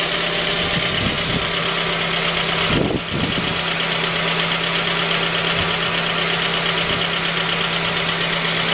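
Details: J20A engine (2010), cold idle: faint, dull repeating knock under the engine hiss. Began at 10,000 km and worsened after oil changes; dealer checks were normal. Found a scored crankshaft journal on cylinder 3, blamed on non-recommended oil; short block replaced.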